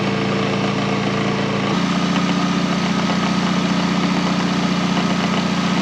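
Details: K11 Nissan Micra Super Turbo, car raised, engine running while alternator output is tested: smooth, even idle rumble, steady after a small pitch step; alternator gives about 14 V, charging fine.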